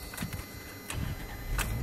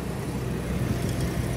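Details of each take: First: 1994 Toyota 4Runner 3.0 V6 EFI, restarted after fixing a vacuum leak at the PCV valve hose, which had caused a rough start: short crank, fires within a second, fairly steady low idle with less shaking than before. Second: 1994 Toyota 4Runner 3.0 V6 slow to start, then a low, uneven, slightly unsteady rumble just after starting; suspected vacuum leak at the PCV, which is to be replaced.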